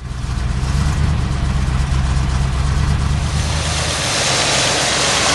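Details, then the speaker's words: 1978 Oldsmobile Cutlass 403 V8 at idle after sitting 15 years, running on about seven cylinders with an uneven stumbling lope; earlier knocking gone after distributor replacement, owner unsure if piston slap or distributor: engine misfire, one cylinder dead. "there's no knocking like it was before but you can hear it missing alright see it's only running on about seven cyli"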